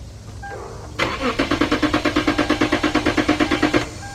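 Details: Lexus IS250/IS350 (2006-2013); starter cranks at an even three beats per second for about three seconds but the engine never catches or fires; crank no start.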